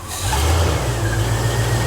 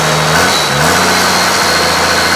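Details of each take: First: Rebuilt junkyard 1995 Cummins 12-valve P-pump diesel, started after the first chilly night: it catches and revs unevenly with a lumpy, stumbling low beat for two seconds; rough running after a cold start, which the owner suspects is just the cold. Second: 1995 12-valve P-pump Cummins diesel after valve adjustment: rough idle clears when revved a little higher, settling into steady even clatter with all six cylinders firing, showing compression and working injectors.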